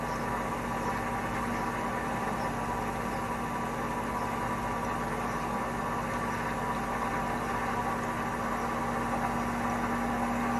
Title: Hotpoint bad bearings ramp up to 1200 rpm